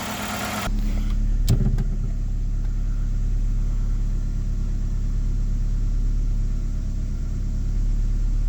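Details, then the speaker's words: First start in months or years of a 2001 Ford Escort ZX2 on a partial gallon of fuel; steady, even low idle with no stumbling or misses, a healthy idle. "Yes, I know it's low on fuel. I think I got like a few like a partial gallon in it, but we are idling steady."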